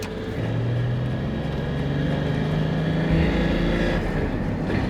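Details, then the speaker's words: 80 Series Land Cruiser turbo diesel, rebuilt after piston failure, test drive after timing belt, valve adjustment and fuel pump tuning, warm after a half-hour drive: a smooth, even drone climbing under load with no knocks. Pulls much better; boost about 0.9. "There is some torque. Pulls a lot better than before."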